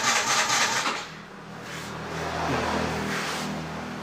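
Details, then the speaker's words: Yamaha Mio J scooter that will not start: the starter whirs and the engine turns over steadily but never catches. Compression ruled out; cause traced to no power reaching the fuel pump. "Oke kita akan membahas ini Mio J mogok teman-teman ya ini distart nggak mau nyala"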